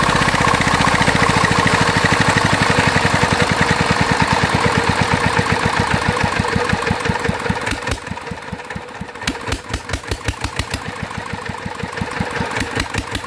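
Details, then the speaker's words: Mitsubishi NM85 single-cylinder diesel, about 40 years old, test run after rebuild. Thumping slows to two or three beats a second with sharp uneven knocks. Oil seeps at the injector and compression appears to leak there, suspected injector fault; fan bearing noise also noted. "เป็นน้ำมันเยิ้มออกนะครับก็ยังมีปัญหาจุดนี้อยู่นะครับแรงอัดน่าจะรั่วออกมานิดหน่อยนะครับ"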